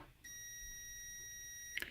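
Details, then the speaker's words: Ignition points check with a continuity tester: with the paper pulled out from between the closed points, one steady high beep lasting about 1.5 seconds shows the points going to ground. With the points open, the tester stays silent. "That means that the points are going to ground."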